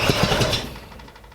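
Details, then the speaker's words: Freshly rebuilt 1965 Ford Mustang engine during its first heat cycle, after an earlier suspected spun bearing. On restart: a few heavy knocks and a bang, then the engine dies to near silence as if locked up. "hmm i hate you i hate you so much so much well i know you guys heard that one i things just about blew up in my face and it cut off an"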